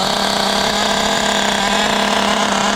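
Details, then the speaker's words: Restored, upgraded Traxxas T-Maxx with OS .21 nitro engine, first run on a cold ~42°F day, just started without glow igniter: high buzzy steady idle, no sputter or hunting, good smoke; idling cleanly. "there we go fired up real well pretty okay not bad good thing is I can see a good amount of smoke coming out of there seems to run well even without the glow"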